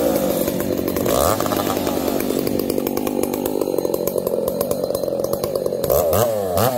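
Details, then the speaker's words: Two chainsaws (366 and 70-series, alongside Ironhorse 371xp): raspy two-stroke whine surging unevenly, revs stumbling; 366 lean, 70 lean/rich, popping; owners suspect bad fuel, saws wouldn't tune; unconfirmed. "here's a clip of us running saws and both struggling you can hear it the 366 is lean the 70s all over the place it's lean it's rich it's popping and farting"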